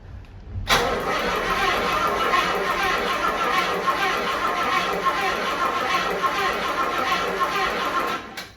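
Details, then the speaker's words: Rolls-Royce Corniche sitting 14 years in a barn, cranked with coil lead off to circulate oil before starting: starter spins the engine at a steady even pace, no catching or knocking; cranking sounds smooth and healthy. "Well, that sounds nice and smooth."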